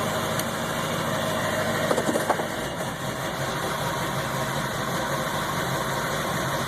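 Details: 7.3 Powerstroke diesel truck idling higher than normal and rough, with throttle surge in gear; a dirty fuel filter was replaced and an additive helped for two days. Owner suspects a bad ICP or FPR. Fast, uneven idle, beat wandering.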